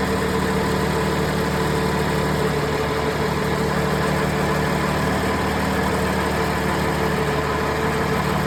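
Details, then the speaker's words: Cummins ISL9 diesel idling during a cylinder cutout test run from the ECM diagnostic test, cylinder 1 cut first, with the A/C off, fan on and coolant above 170°F. Idle stays steady, with a faint shift in pitch as the cylinder drops; normal idle. "You can hear the pitch of the engine change depending on what cylinder you're cutting out."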